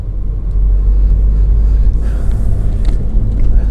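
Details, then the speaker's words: 2007 VW Caddy 1.9 TDI 105hp BLS diesel driving after replacing alternator pulley and auxiliary belt/tensioner that had squealed and lost charging: deep even engine and road rumble, no squeal, chirp or knock; no strange noises, called fixed. "So anyway, it seems to run fine. No strange lights, no strange noises."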